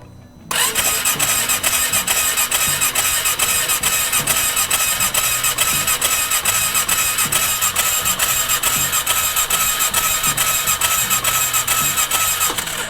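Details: 2018 Polaris Sportsman Ace 570 that quit after sucking mud through its intake into the cylinder. With the spark plug pulled, an even starter rhythm of about two beats a second never fires. It cranks without starting; spark is present, though the plug looks poor.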